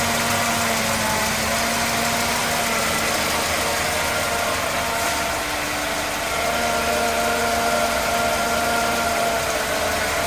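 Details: Mercedes-Benz E220 W124 petrol engine idling with the fan belt removed: steady whirring hum with a faint hissy rattle on top; owner suspects timing chain noise, not confirmed.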